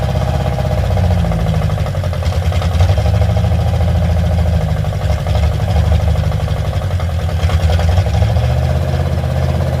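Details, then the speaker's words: Carbureted car with only a Y-pipe exhaust: a lumpy idle held high that surges unevenly and won't settle. It quits after about 2 seconds unless the idle is raised, and the choke-side idle mixture screw has no effect; faulty carburetor, owner plans a Holley. "See, that's the problem with this carburetor. It'll start and run for, you know, what, 2 seconds, real fine, but then it quits."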